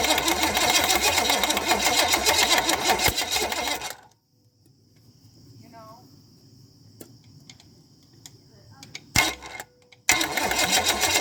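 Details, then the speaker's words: Chevy small block 305 of unknown history, will-it-run attempt with carb, float bowls filled: steady fast starter churning about three turns a second, never fires; crank no start. "that's just the starter making that noise i think"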